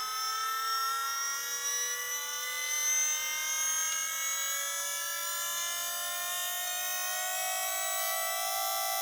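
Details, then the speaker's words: Electric Holden Astra power steering pump in a 1988 Honda Prelude conversion, run on 12 volts and holding pressure at a constant 27 amps: an even high whine with a slight slow rise and no growl or rattle. Normal pump run. "to pull about a constant 27 ants just sitting there maintaining pressure but it works good"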